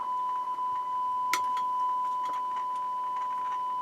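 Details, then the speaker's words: Harman Kardon HK350i receiver, right channel test tone into bench speakers previously overpowered: steady high tone with irregular crackles and crunchy bursts; suspected torn speaker voice coil, checked by swapping speakers. "Okay, that doesn't sound good at all. There we go. I think that's the voice coil of the speaker that's that's torn up."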